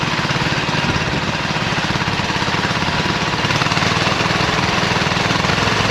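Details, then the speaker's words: 26 HP Kohler V-twin mowing tractor under load in deep wet grass, with an intermittent misfire for about two years: uneven, lumpy chugging, running on one cylinder. "so I've had an intermittent problem with this tractor where it starts missing and it seems like it's running on just one cylinder"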